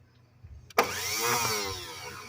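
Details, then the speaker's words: 1981 Datsun 720 with new starter: bumped with a screwdriver after a failed key start, a sharp click then fast steady whirr as the starter spins freely; no-start traced to the wire detached from the starter's start terminal. "starter definitely spins, and I see what the problem is. The darn wire came off of the start terminal."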